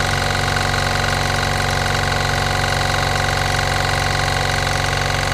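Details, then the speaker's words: New aimtools 1100W 50L silent oil-free two-cylinder air compressor with a cooling fan on each side, just unboxed: a steady, even pumping beat of about four strokes a second with a constant hum and no knocks. Very quiet, builds pressure quickly, runs normally. "so there's the compressor running um honestly it's so quiet and it builds up to pressure so quickly"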